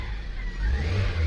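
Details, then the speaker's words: Suzuki SX4 after fixing a crank-but-no-start fault, starts on one click: quick clean rev from idle that climbs smoothly and settles, no misfire or stumble, engine smooth without shake. "So doon tayo sa makina so Ayan Normal naman nasa sobrang tining pa nga ng makina napaka smooth anan oh kahit konting alog Wala eh sobrang tining"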